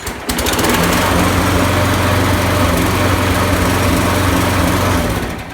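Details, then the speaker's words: Craftsman push mower, Briggs & Stratton 6.5 HP, after sharpening and balancing the blade: putters unevenly with a lumpy, stumbling beat and still runs poorly; owner suspects a sheared flywheel key, likely from the blade hitting something. "didn't shake as much but it doesn't run better that's gotta be a brooklyn fly lucky I think I have to take that flight off and go for a new flight"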